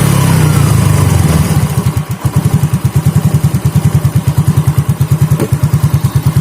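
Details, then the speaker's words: Yamaha Fino / Mio J scooter (no MIL code blink) after replacing the faulty part as a package: engine revs cleanly, then settles to a steady putt without stumbling or dying; normal throttle response. "Nah setelah kita ganti itu bunyinya itu sudah enak ya Dekat segitu ya artinya seperti normal ya dan coba kita ke situ langsung respon Ya"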